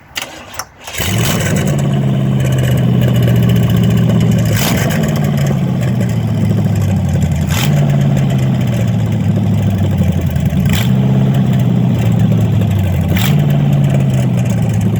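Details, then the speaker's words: Code 504 S-10 conversion with a small block Chevy V8 fires almost at once into a loud, lumpy idle, with blips from the open exhaust; it still needs new exhaust manifolds. Motor sounds good. Normal start and idle. "So, motor sounds good. Need to get some exhaust as usual."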